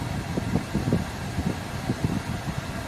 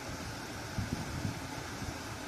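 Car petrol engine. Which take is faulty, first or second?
first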